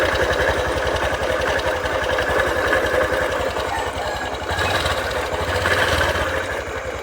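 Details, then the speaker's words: 2022 Honda Beat FI scooter with rough rumbling complaint: coarse, uneven rumble about four beats a second under the idle; mechanic suspects worn or sludge-filled crankshaft bearing, not yet confirmed before teardown. "datang dengan keluhan suara kasar kemorok di mesinnya"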